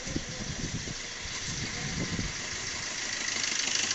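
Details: Maruti Vitara Brezza diesel with long-cranking starts and timing chain noise, after timing chain work with timing locked: steady, even idle with a smooth, regular beat and no rattle or slap from the front; healthy.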